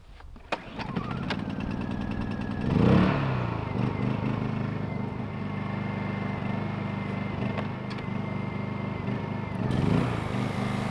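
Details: Pony motor of a 1950s Caterpillar 955 Traxcavator, 60+ years old, after its Zenith carburetor was cleaned, started using starting fluid: it cranks, flares near three seconds, then runs unevenly. It starts hard, and the cause is not confirmed.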